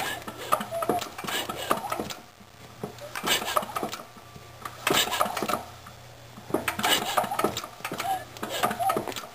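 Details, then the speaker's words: John Deere L tractor engine cranking with a spark plug tester fitted: uneven labored cranking with sharp crisp snaps; the tester lights but the plug isn't sparking, suspected arcing from a nicked new spark plug wire. "And if you listen closely, you can hear a real sharp snapping sound. That snapping sound is actually an arc, which leads me to believe"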